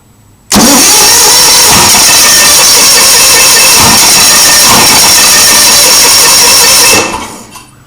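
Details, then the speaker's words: Onan engine with replaced coil (motorcycle V-twin coil) and wires and confirmed spark, unspent fuel vapor blowing from exhaust manifold: steady cranking with a few weak pops, never picks up; sounds like only one cylinder firing, cause unknown. "dang it where sounds like only one cylinders firing"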